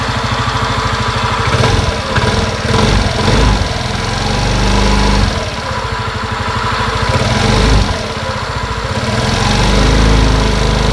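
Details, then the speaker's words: 2020 Suzuki Address 125 scooter: rough, uneven clatter that swells and fades as revs change, fading when accelerating; the drivetrain was opened and checked, and the noise was confirmed to come from the engine. "Quando você liga o motor da motocicleta e acelera, o som desaparece e um ruído desconhecido ocorre no modo normal."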